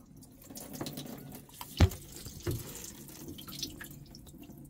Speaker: now this cylinder may be up higher there might not be as much water or it could be rainwater got in I'm really not sure if the manifolds actually oh yeah I hear it running out